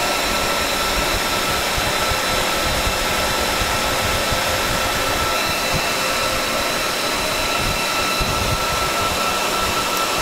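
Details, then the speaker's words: Dell PowerEdge 2950 II server in a room around 20–25 °C; constant airy fan rush with steady tone near one kilohertz, no surging or rattle; normal fan speed after startup ramp-down. "so when you're in a fairly uh warm environment about 20 odd degrees 25 ish this is about the normal fan speed um it does go lower"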